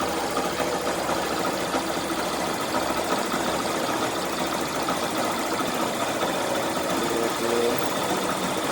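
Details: Yamaha Fazer/Factor 150 motorcycle with a burnt stator: steady, even single-cylinder idle with light mechanical chatter and no knocks or misses; normal running.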